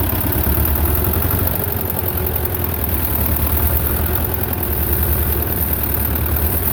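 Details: Belarus 250 tractor, two-cylinder air-cooled diesel that sat for years with a no-fuel problem, reassembled with the throttle left set: low idle rising and falling every couple of seconds. Owner suspects lift pump trouble.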